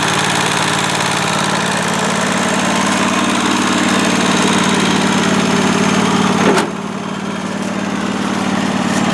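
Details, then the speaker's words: John Deere 345 garden tractor, Kawasaki FD611V twin-cylinder, idling while warming to operating temperature after cooling-system service (radiator flushed, new hoses, fresh coolant), checking for leaks; steady, smooth, regular beat with no knocks or misses: normal running. "So we'll start it up, get it up to operating temperature, make sure we've got no leaks. And then we'll call this project finished."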